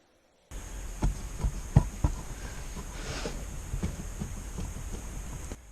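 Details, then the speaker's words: 2013 Ford F-150 driving over bumps: irregular light tapping knocks over low rumble from worn steering column bearing (dust shield, part 5L3Z3D677A) at firewall, play in shaft vibrating into steering wheel; bearing to be replaced. "Just as I'm going over bumps or small imperfections in the road, that is vibrating through the steering shaft into the steering wheel, and I will try to get a video clip of that that play and the sound it makes."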